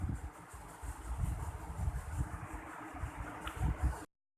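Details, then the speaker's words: Polycab ceiling fan, formerly loud and jerky at start within 3 months, after technician replaced bearing: runs quietly with soft air rush and low buffeting, no grinding or knocking — normal quiet running. "तो ये देखिए, भैया ने अभी ऊपर फ़ैन लगा दिया है और फिर फ़ैन बहुत अच्छे से काम करने लगा, हवा भी आने लगी अच्छी सी।"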